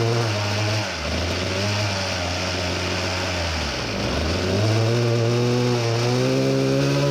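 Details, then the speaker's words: Samurai 40cc two-stroke on dyno after turning head for deeper chamber, lower compression, better-exposed plug: clean scream to 14800rpm, max 4.23hp at 14700rpm, new power likely from head modification. "14800rpm, 246 revolutions per second it sounded like it got some new powers most likely from the head modification horrifying, almost 15000rpm max revs 4.23hp, 14700rpm quite a machine already"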